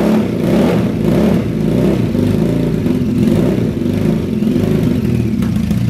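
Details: Early-1970s Yamaha TX750 parallel-twin motorcycle, started in -40C winter on choke: deep, throaty twin beat, a little lumpy on choke, no knocks or rattles; normal healthy cold running.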